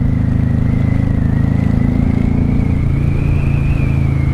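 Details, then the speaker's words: 1995 Honda Shadow VLX 600 VT600CD V-twin on first ride after repairs, in second gear: steady, even pulse over road noise with no knocks or rattles; sounds healthy. "We're in second gear. She sounds good and happy."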